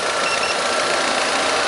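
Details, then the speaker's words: 2010 Ford Fiesta 1.0 after thermostat housing replacement, warm engine around 80–85 °C idling: steady airy radiator fan rush over quiet even idle, no knocks or rattles; cooling fan switching on and working normally. "então pvo tô conferindo só a questão da ventuinha estacionando ventuinha tudo bonitinho mas tá bacana"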